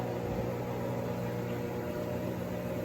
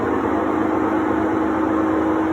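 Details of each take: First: Three-year-old Sears Kenmore washer after gearbox/transmission replacement, at maximum spin: steady, even motor hum with smooth whir, no grinding or roar; normal spin, confirming the gearbox/transmission was the noise source. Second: Three-year-old Sears Kenmore top-load washer on spin: loud steady roaring hum with rough grinding edge; owner suspects worn tub/gearcase bearings.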